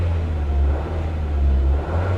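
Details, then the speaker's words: 1950s Chevy coupe at salvage auction, creeping in gear under light load: low rumble swelling and dipping every second or so; engine surging, owner suspects old gasoline. "She's surging. She's definitely not running well anymore."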